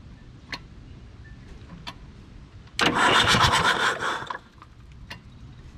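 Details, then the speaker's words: 1980s Komatsu D31S track loader, Cummins 4D105-3 diesel, sat 5+ years, earlier believed locked up. Injectors out, dead batteries disconnected, booster pack used. Brisk free whirring for about two seconds with no compression chuffs or binding; it turns over freely. "Oh. Cranks over good without those injectors in. That's great news. Starter works. Still turns over."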